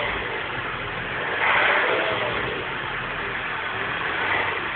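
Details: R56 Mini Cooper S on a cold start in cold, wet conditions: a raspy, hissy mid-pitched engine noise that swells briefly, with no clear knock rhythm; the cause is not pinned down.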